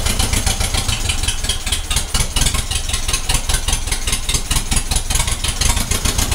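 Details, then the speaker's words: 1956 Ferguson TO20 TVO four-cylinder tractor, first run in 8 years: lumpy beat with regular gap, missing on one cylinder, number one suspected. "she's just about taking over yeah so that's what's wrong she is only running on three cylinders it's a four cylinder tractor and you can hear that that's it missing on one cylinder"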